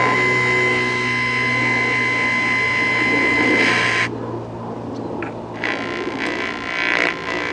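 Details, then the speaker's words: 1956 Zenith 17X20 black-and-white vacuum-tube TV being resurrected, CRT disconnected, signal injected at IF around 40-something MHz. Steady tone over hum and hiss, then shifting sound from the speaker. The audio stage works; vertical and horizontal sections are still out. "And it actually sounds like the audio's working."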